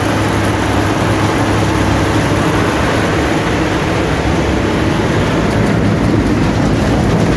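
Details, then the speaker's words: Allis-Chalmers Gleaner EA combine separation unit run before refitting the threshing unit, beater bearing being replaced: loud steady roar with constant low drone, no knocking, grinding or surging; separator running healthy. "so as you can see well as you can hear there's not much noise i've checked it already so i know"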